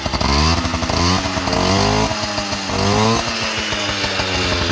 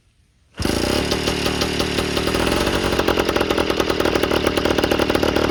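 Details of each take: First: Yamaha Towny two-stroke on its stock exhaust: raspy buzz rising and falling evenly with throttle, clean firing with no misses; healthy. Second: Yamaha Towny two-stroke with aftermarket exhaust just fitted, not fully bolted: revs sharp and raspy with loud crackly popping on each pulse, gases leaking out at the loose exhaust joint; not how it should sound.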